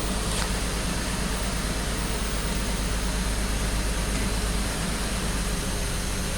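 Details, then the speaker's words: BMW X5 after erasing codes, computer suspected of deactivating injectors; idle beat uneven with loping stumble about three times a second, misfire less severe than before but still present. "still feel misfire not as bad as it was a little bit smaller but still still misfires"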